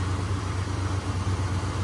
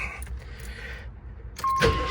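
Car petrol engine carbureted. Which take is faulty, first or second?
second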